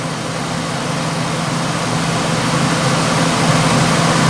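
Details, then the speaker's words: Curbed Hampton Bay (Whirlpool-made) BHDH2500AS1 dehumidifier on first power-up: steady, even low hum with a faint rising swell, gas heard flowing, no knocks or rattles; compressor, likely reciprocating, has a nice startup sound and runs normally. "Runs just fine. Heard the gas start flowing through it. And the compressor has a nice startup sound."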